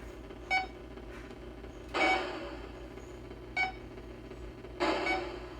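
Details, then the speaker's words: 1980 Atari Battlezone arcade PCB on the bench, sound test through a temporary hookup: short game sound bursts with irregular near-silent gaps; output flaky, blamed on old Atari IC sockets that will be replaced. "yeah it just gets kind of flaky because of the sockets this will be a solid board once I get these"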